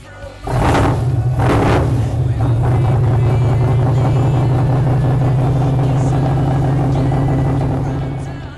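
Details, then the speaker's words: THE40 big high-compression motor after replacing batteries with pair of Exide Orbital maintenance-free batteries (previously starting problems, jump pack needed); deep even V8-like rumble swelling cleanly with throttle blips, no stumbling: normal revving. "Let's have a quick listen to what it sounds like now. Plenty more grunt."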